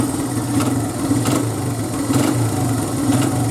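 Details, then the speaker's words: 2002 Honda XR100R, warm, idling after timing chain adjustment and valve check; even settled putter, no top-end ticking, crisp throttle response; idle slightly high versus the manual's 1400 rpm spec, to be turned down a touch. Normal warm idle. "everything sounds great runs great there's no uh there's no ticking sounds it sounds perfect and the throttle response is awesome"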